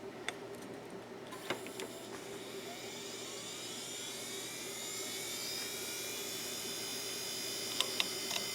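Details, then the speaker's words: Used eBay hard drive whose label mentions running vertically. It won't run horizontally, but positioned vertically it spins up with a rising high whine and does its seek test with a few sharp ticks. It works only when vertical. "No way. It performed its seek test and it's running vertically. Okay, that is an interesting case. It won't run horizontally, but it will run vertically."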